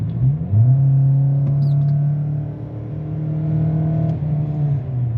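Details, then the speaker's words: Four-cylinder car with no check engine light and no codes, floored from about 33 mph. Loud low drone, pitch barely climbs and it won't accelerate; the mechanic suspects a restricted exhaust and is checking catalytic converter temperatures. "that's a lot of noise and this thing isn't going anywhere it is not accelerating"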